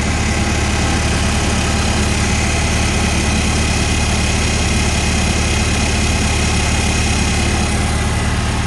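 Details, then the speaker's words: 1955 Farmall Cub with a cleaned tank, inline filter, clean bowl and rebuilt carburetor. Steady, even low thrum at about three beats a second with no misses or knocks. Normal idle. "you can see it's just running clean as a whistle"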